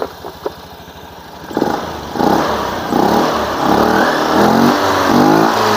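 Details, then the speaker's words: Honda Beat FI eSP scooter whose CVT sounded rough, after replacing the worn roller housing (variator) and slides: quiet idle, then revs up smoothly with an even drive hum, no rattle or grind; CVT now healthy. "oke udah suaranya Udah halus jadi kerusakan terletak pada rumah roller Ya Bro"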